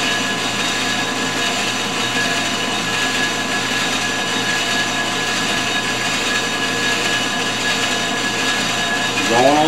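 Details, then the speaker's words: Ford 460 flywheel being faced on a G0776 lathe with a CMG insert, short rigid tool: steady even cutting hum, constant tone, no chatter or squeal; smooth facing cut. "she seems to be going really good"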